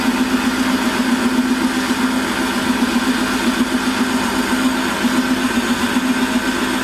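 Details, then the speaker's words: Holzmann ED400FD lathe cutting at 1 mm depth under power feed: steady, even hum with no chatter; noise is clearly lower and vibration is nearly zero. "da ist jetzt auch mit verführung ist jetzt das geräusch deutlich geringer und die vibrationen fast fast gleich null"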